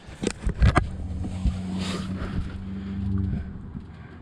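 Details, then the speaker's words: 1998 Jeep Cherokee 4.0 at start-up: irregular clunks and rattles over low engine hum, then shut off; cooling fan knocking against a broken fan shroud. "here's the noise maker right here broken fan shroud getting knocked around by this fan"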